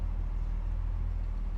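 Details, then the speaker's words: 1969 Mercedes-Benz 280SE W111 coupe, 2.8 L straight-six, idling ice cold just after start with good oil pressure, warming up: low, quiet, even idle, no misses or knocks; healthy engine. "Temperature's ice cold. We got good oil pressure. We will warm her up a little bit and we'll be back to you."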